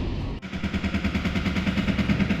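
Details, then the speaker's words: Voltas Beko top-load fully automatic washer, model DTA 60 UGC, knocks in rapid loud rattles about eight a second; a coin trapped inside was hitting the drum and left marks. "इसी की वजह से आवाज कर रहा था बहुत ज्यादा कोइन घुसा हुआ है इसके अंदर"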